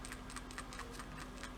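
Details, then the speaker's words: New OEM PCV valve for a Nissan VK45DE 4.5L V8, shaken by hand: light, quick, crisp rattle. This is the normal sound showing the check valve moves freely, unlike the old valve. "I don't know if you can hear it but when you shake a good one it's supposed to rattle"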